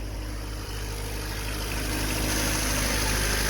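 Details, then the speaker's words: Car jump-started with a portable battery booster tool (pack at 14.8%), started right up: steady, even idle with a smooth low rumble and no knocks or misses; engine running cleanly after the start. "started good started right up let this thing run for a little bit that's a pretty good little test on our charger"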